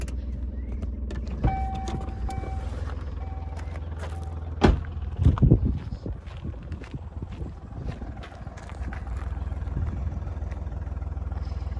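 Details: Hyundai Matrix diesel, over 203,000 km, started after turbo replacement and an oil change: a few clunks and a brief rev as it fires, then a low, steady idle holding even with no misses; the smoke and whistle problem is fixed.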